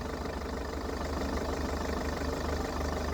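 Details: Diesel car with about 70,000 km of little service history, cold start on fresh thick oil, dry filter housing; fast uneven rattle about three a second over rough idle, timing chain buzzing, likely slow tensioner.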